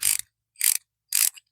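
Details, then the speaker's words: Ratchet being cleaned with spray in a 42°F shop: short bursts of gritty, scratchy clicking about every half second as it is cycled; improved but dirt is still in the mechanism. "improvement. Still got crud in it. I can hear it and I can feel it."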